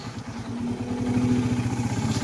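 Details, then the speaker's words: Engine refreshed five months earlier, owner reports noise every cold morning: cold start with a fast, light metallic clatter over an uneven exhaust beat; noisy cold start, cause not yet identified. "Ito yung tunog na to. Ito pala boss tuwing malamig."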